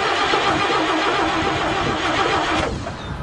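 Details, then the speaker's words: Old dump truck with 427 engine, sat a while, choke and pumped gas pedal: cranks steadily about four beats a second but won't catch; suspected flooded from over-pumping; cranking no start. "choke it be that yeah try the choke push the choke in that sounds bad are you pumping it what are you pumping yes pumping it I'm pumping it he's pumping it I think you pumped it a little too hard it's had too much"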